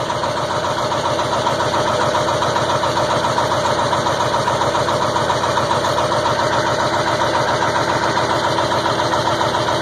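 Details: 2002 Ford F350 7.3 Powerstroke at about 34°F, idling cold after an 8.5-minute crank: steady but slightly uneven clatter about two pulses a second with a white smoke cloud; rough cold running, cause not pinned down.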